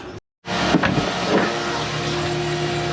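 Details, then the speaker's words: DIY boat watermaker built from a busted D100 Dessalator using a basic 105-bar pressure washer pump feeding three membranes in series, at start-up with the regulating valve fully off: loud steady drone with rushing water, running normally before being set to 800 psi for 100 L/h. "And as you can hear that horribly loud noise, we then come here."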